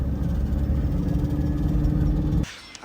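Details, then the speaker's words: Tata 2.2 150 diesel with check engine light, hard starting, won't accelerate: flat steady drone at fixed revs that won't climb past about 2,800 rpm on test drive, then drops away; limp mode, cam sensor code found. "มาดูรถดามามีอาการประมาณนี้นะเร่งได้ประมาณ2,800รอบแล้วก็ไฟเช็คเครื่องโชว์นะทดสอบวิ่งเทส2,800รอบนะไฟเช็คEngineเด้งนะฮะรถวิ่งได้แค่ประมาณนี้นะครับ"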